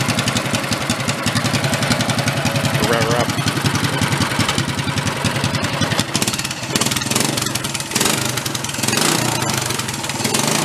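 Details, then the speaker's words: Bigger engine swapped into a 1965 Chevy Corvair Monza go-kart, first run, quick throttle blips with even crisp single-cylinder exhaust pulses rising and falling: normal revving. "she sounds pretty good huh pretty even awesome definitely like to have a little bit of gust on it"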